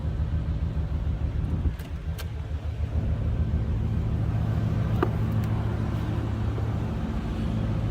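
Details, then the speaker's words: 1990 Chevrolet Corvette coupe with aftermarket exhaust, heard from the rear: steady low exhaust rumble at idle, even firing, no misses, ticks or knocks, nothing loud; normal idle. "No crazy exhaust, anything loud over the top. Nice little rumble. This one sounds good going down the road."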